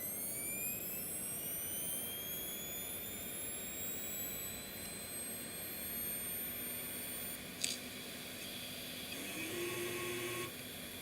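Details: Seagate Cheetah 450GB drive: thin whine climbing steadily in pitch over several seconds, then settling at a constant tone; healthy drive spinning up to speed. Normal hard drive spin-up whine.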